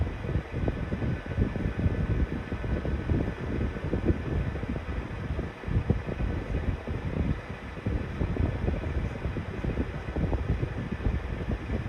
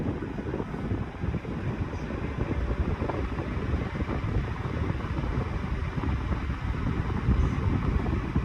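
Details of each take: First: 1991-92 Patton 12-inch counterclockwise high-velocity fan on a cold start at low/medium speed, both weak: low hum with an uneven, rough rumble that rises and falls instead of spinning smoothly. Dry motor bearings suspected. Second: 1991-92 Patton 12-inch high velocity fan, non-capacitor motor, after oiling the front bearing only: a steady airy rush on high speed, even and free of rattles, ticking or bearing squeal; the fan runs smoothly.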